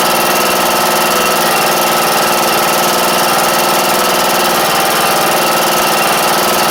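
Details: John Deere E100 lawn tractor, Briggs & Stratton single: harsh, uneven idle with a rough clattering edge after an oil-leak repair; the connecting rod broke not long after.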